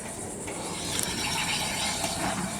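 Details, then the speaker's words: 2004 Ford Explorer Sport Trac front hub turned by hand: dry, gritty rasping and ratcheting, barely spins, from a seized, chewed-up front wheel bearing on the spindle. Fixed with a junkyard spindle assembly. "But definitely, yeah, that's really bad. So if you hear that sound coming from either side of your Sport Track, it's more than likely."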